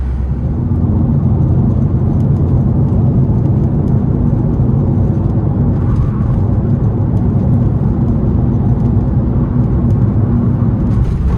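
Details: Late air-cooled Porsche 911 Type 993 six on test drive after cooling fan replacement fixed age-related engine noise: steady engine and road rumble, no whine, rub or rattle from the fan; running smoothly.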